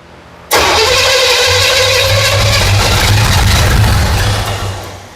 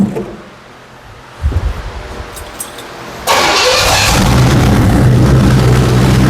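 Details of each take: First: 1977 Pontiac Firebird, overhauled small block Pontiac 350, after correcting a wrong Chevy firing order: catches suddenly and runs rough and lumpy for seconds before sagging away; timing too retarded, advancing it helped, vacuum leak suspected. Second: 1977 Pontiac Firebird barn find, sat 18 years, with an overhauled small-block Pontiac 350, after flipping the distributor 180 degrees and adding advance. A quick crank, then a strong, even V8 idle with oil pressure and no knocks, ticks or leaks. A normal idle.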